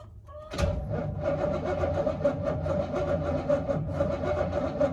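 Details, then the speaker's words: 1969 Buick Skylark, off road since 1985-86, flooded with water-filled motor, in park; suspect once-submerged starter turns engine over in a loping, uneven rhythm, some strokes heavier; owner suspects a lame starter or more likely compression issues or hung valve. "she cranks doesn't sound very even i don't know if that's because of starters a little lame or more likely it's got compression issues or a valve hung up but it spins that's a win"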